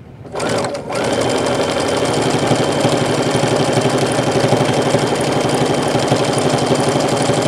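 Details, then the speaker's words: Sewing machine stitching evenly and quietly over the thick, heavy part of the material with the correct-size needle; there is no thumping. "you see how quiet that was alright that was quiet"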